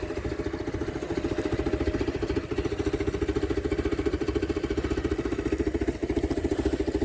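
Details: 1999 BMW R1100R, 1085cc air-cooled boxer twin, on center stand: even, loping idle about three and a half beats per second, regular and unbroken; healthy.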